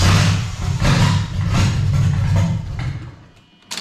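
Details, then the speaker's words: Toyota JZ engine with the MAF mass airflow sensor installed slightly the wrong way round: uneven cranking, briefly catches, stumbles and fades, struggling to start because airflow is misread. "basically going to hear how it's going to struggle to start and it's not going to read the airflow properly"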